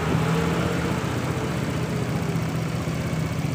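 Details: Suzuki Nex scooter, hard cold starting and unstable idle, idle air control sensor made manual: single-cylinder ticks over at steady, even pace with no hunting or dips; idle now holding properly.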